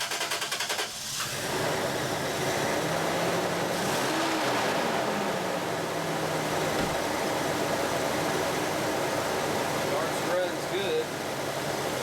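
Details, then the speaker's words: V6 with coil packs on one bank and plug wires on the other starts with a short catch, then runs quietly and smoothly with no misses or ticks, after six new spark plugs and cleaning of the mass airflow sensor and throttle body; running normally. "But yeah, it seems like she's running good."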